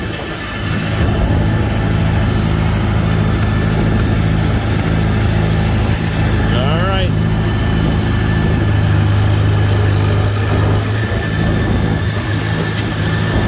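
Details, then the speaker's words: 1954 Farmall Super C tractor running in third gear under load: steady, even low engine drone with no chatter or grinding suggesting broken gear teeth; driveline sounds healthy, normal running. "yeah sounds good I don't hear nothing funky or chattery like there's broken teeth in the gears or anything"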